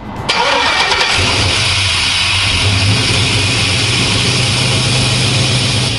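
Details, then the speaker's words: LS engine with FiTech Ultimate LS EFI, freshly started at fast idle under a loud, steady high hiss-whistle. The noise is from the idle air control motor, which needs adjusting via throttle adjustment and the handheld's idle set mode. "you can hear there's a loud Whistling noise that's the idle air motor that we need to adjust"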